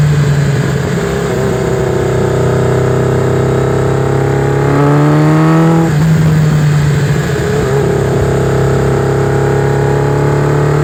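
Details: Warm motorcycle on small throttle: steady drone with an uneven, stumbling beat and a brief rev while testing a misfire on one cylinder.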